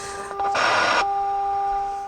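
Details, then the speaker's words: Motorola BT16BN vacuum tube AM/FM radio under repair, checking the 10.7 MHz IF signal with a unique FM tuner circuit: steady whistling tones with a sudden half-second rush of hiss; noisy IF signal, cause unclear. "as you can see at ten point seven megahertz regardless of where I tune this although I got some noisy"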